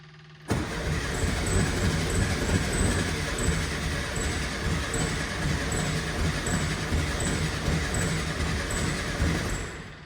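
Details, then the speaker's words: VW Beetle after earlier hydrolock, tested with a jump box: starter cranks steadily about three pulses a second without catching; cause found to be swapped spark plug wires. "Man, it's close. That's the closest it's been in quite a while."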